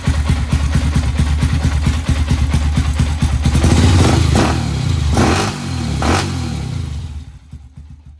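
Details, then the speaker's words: 1992 Honda TRX 250X single-cylinder, revived from seized engine, valve covers refitted after oil spraying: even thumping, revs climb and settle smoothly, very quiet, no knocks or rattles; now runs healthy. "Maybe see if we can get it to idle, I don't know. That thing's quiet."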